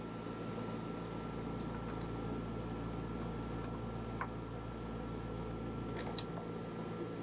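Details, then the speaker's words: Dometic RV rooftop air conditioner with the cover off, whose hum came from loose mounting bolts: as the bolts are tightened to squeeze the gasket, the hum fades to a quiet, steady run with no rattle or buzz. "so i'll turn a couple turns you can hear the noise starting to go away"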